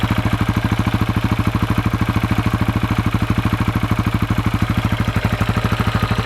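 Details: 2004 KTM 640 LC4 single, 38,000 km, after 10 days unused: rapid regular tac-tac clatter over steady idle, left side of engine; also at low revs, stops in gear with clutch held; cause undetermined, owner wonders about crankshaft or clutch bell.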